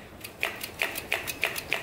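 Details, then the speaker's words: 1971 Yamaha CS200 two-stroke twin, sat over 17 years; carburetors cleaned, the previously stuck slide now freed: five crisp metallic snaps as both slides drop cleanly to the bottom, moving freely; normal slide return. "This is the one that was stuck before. We got her. Both slides are hitting the bottom."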